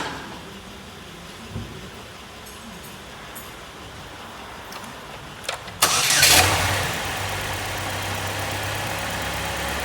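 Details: Start-up during diagnosis of code P0203-00 (fuel pump driver circuit not matching desired 2.5 V output; ground G101 under coolant bottle a possible cause): engine cranks briefly, catches and settles into a steady, even idle with no misses; normal idle.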